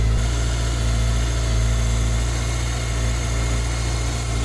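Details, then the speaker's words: 2001 Kawasaki ZR750, older bike with a decent amount of miles, test start after heated grips and Oxford hand guards fitted: low, even idle with a smooth unbroken pulse, no knocks or rattles; normal healthy idle. "Let's give it a test. So the moment of truth, ticking over."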